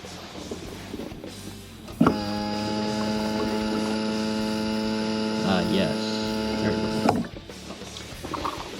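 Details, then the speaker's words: Mazda Miata with used fuel pump sending unit, key on: steady even electric hum at constant pitch for about five seconds, then stops; fuel pump priming normally. "That is the sound of a working fuel pump."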